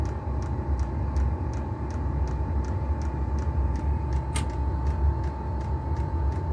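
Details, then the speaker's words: Chinese diesel heater on trial run, exhaust not bolted on, doors open for ventilation, warming up: steady low roar of the burn chamber with faint regular fuel pump ticking about twice a second; normal combustion. "I just want to feel it get warm. You can hear the burn chamber now."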